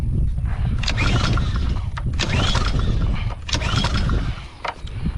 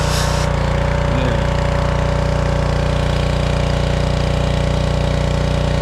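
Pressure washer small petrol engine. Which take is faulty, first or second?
first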